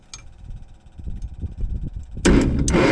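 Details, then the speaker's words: Gleaner combine gasoline engine with a rebuilt carb and starter, cranking with the choke held shut. Rapid, uneven starter cranking that never catches. No spark found; owner suspected the coil, but a simple coil test then produced a spark. "we're not getting any spark pretty simple ignition system"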